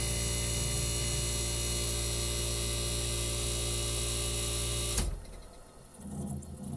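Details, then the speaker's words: 1965 Fedders Weather Wheel air conditioner under restoration; its switch was cleaned with rubbing alcohol. Recorded near the compressor after a thermostat-triggered restart. Steady low hum with an even buzz, running smoothly until it cuts off around five seconds; normal cycling. "all right all right guys here we go we're going to put you back near the compressor so you can hear it start up again now it's been a two minutes since it restarted"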